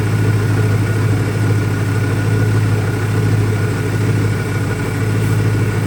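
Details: 2001 Ford Mustang Cobra V8 after new Bosch spark plugs; low, steady idle burble with an uneven, lumpy pulse and slight wavering; still idles rough, owner doubts a vacuum leak, cause not found.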